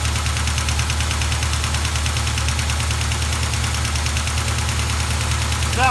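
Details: 1973 Plymouth Duster with a 360 V8 rebuilt about 25 years ago: light, fast uneven ticking over a rough idle. One lazy lifter sticks, mostly after a cold shutdown, and goes quiet once the engine is fully warm.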